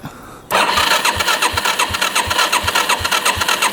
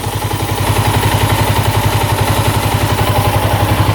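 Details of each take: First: 1987 Yamaha SRX 250 single, bought as non-running, tried with and without choke; starter churns the engine over in even pulses, roughly three a second, with no firing, pop or catch at all; cranks but will not start. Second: 1987 Yamaha SRX 250 motorcycle that the seller said would not run: it now idles at about 1200 rpm with the choke off, with even exhaust pulses and no knocking or smoke; the petcock leaks a little fuel; a healthy idle.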